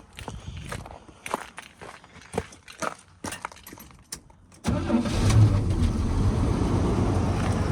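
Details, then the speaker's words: 1981 Chevy C10 V8 after a tune-up (plugs, wires, cap, rotor) and reconnecting a forgotten plug wire: fires and settles into an even, steady idle with no miss; engine much smoother, though the tailpipe still shakes. "the tailpipe still shaking but the engine is so much smoother"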